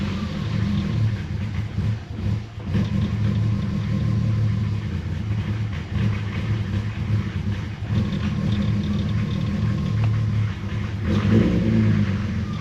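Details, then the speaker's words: BMW E36 with M50 intake manifold conversion, just restarted after vacuum-leak repair work: uneven lumpy low idle rumble with small surges; still rough idle, vacuum leak suspected, not confirmed. "Well, it still sounds like shit."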